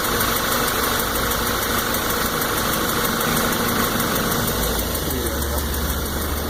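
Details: New 2014 VW GTI petrol engine at 1,000 miles running with a light, fairly regular tick, about three a second, over a steady hum; ticking comes from the lower engine and increases with RPM.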